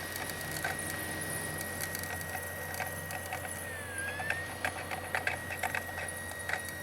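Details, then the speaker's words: Original Xbox DVD drive after a laser clean, loading a Halo 2 test disc. A faint wavering whir with scattered uneven clicks and rattles: a noisy, crunchy, rattly drive that is slow to load but plays. "Fairly crunchy, fairly rattly, fairly slow to load."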